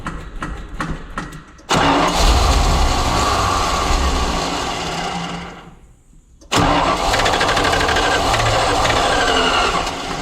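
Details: Tucker Sno-Cat tow truck that won't start again, being started to trace a hydraulic leak at a valve. Two long bursts of steady cranking with a pause between, but it never catches. Cranks but won't start.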